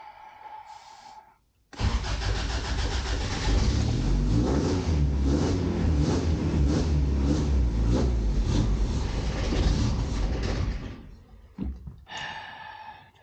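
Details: 1988 Toyota Pickup (Hilux), off the road nearly 5 years, new fuel line: steady cranking with a brief rough catch, thought to be residual starting fluid, that never takes, then winds down. Crank no start; owner concludes failed fuel pump.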